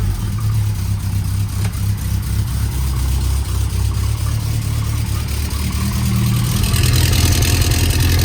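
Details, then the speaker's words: Lotus Elan first start after clutch job and engine refit with new gearbox input seal and resealed sump: rough idle with loud chuffing exhaust blow, oil burning off, oil pressure present; graunchy noise also noted. "I have oil pressure. Everything's working. See loads of oil burning off. And a massive blow."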